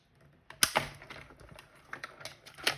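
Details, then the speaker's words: Big Shot die-cutting machine with plates and die cranked through: irregular sharp pops and cracks, no grinding; normal cutting noise, not a fault. "when I first got started stamping and got my first one it was the big shot and when that thing started popping and cracking I thought I was breaking it for sure but I was assured that I wasn't"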